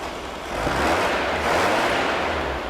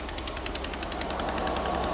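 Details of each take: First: Air-cooled VW engine of unknown history, built from used parts and first started cold: busy clatter rising and falling with light revs, no bottom-end knock heard under the valve chatter; small exhaust leak noted nearby. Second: Mystery VW flat-four built from used parts, on first start with Mystery Oil: rough idle with rapid, sharp ticking puffs about eight a second from a small, visible exhaust leak. Leak judged not bad, and no bottom-end knock is heard.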